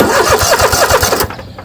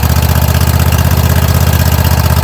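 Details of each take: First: Troy-Bilt zero-turn mower, Kohler 7000 series engine, after carburetor replacement (gas found in oil): quick, even starter chugs about ten a second that never catch; fuel shutoff valve left closed, so no fuel reached the carburetor. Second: Kohler 7000 Series engine on a Troy-Bilt zero-turn mower, running after carburetor replacement (gas had been found in the oil; fuel shutoff valve added): even, steady thumping about four beats a second, easing off near the end; runs smoothly.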